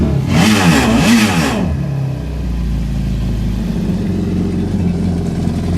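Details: 2011 Yamaha VXR personal watercraft out of the water after DIY intake with filter breather and DIY exhaust (90- then 45-degree elbows), exhaust leak just fixed: sharp revs rising and falling, then steady throaty idle, no hiss or puffing; normal revving with modified exhaust.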